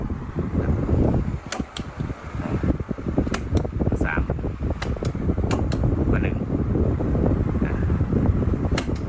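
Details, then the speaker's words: Thai 16-inch wall fan on speed 1 after the fix: pads fitted at three corners of the motor mount to cut vibration, after oiling the shaft failed. The squeak is gone, leaving a steady fan whoosh, normal running. "เดี๋ยวผมจะลองเปิดเบอร์1เสียงดังกื๊ดๆหายไปแล้วนะครับนี้ก็จะเป็นเสียงแค่บายพัดลมอย่าง"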